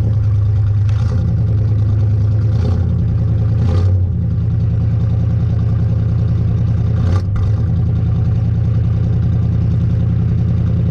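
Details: 1986 Chevy K10 carbureted truck, carb and choke recently tuned, sat about 1.5–2 months in a tarp garage, cold start: deep even idle with a few throttle blips rising and settling cleanly, no misfire or knock; normal cold idle.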